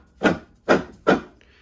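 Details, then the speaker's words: Ariens SS522e snowblower: shaft turned by hand gives three dry rasping scrapes, mainly a worn bearing though probably partly something else; the shaft is to be removed via three bolts on each end for replacement. "it's mainly this bearing but I'm sure it's a little bit of both"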